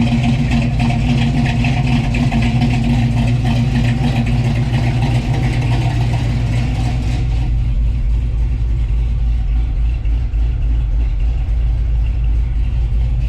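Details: 1966 Chevy Belair, 461 big block V8, Holley Sniper with Hyper Spark, after fitting clocked high-output alternator for poor charging, battery had been dead: deep steady rumble, even lumpy beat, never stumbles; normal idle.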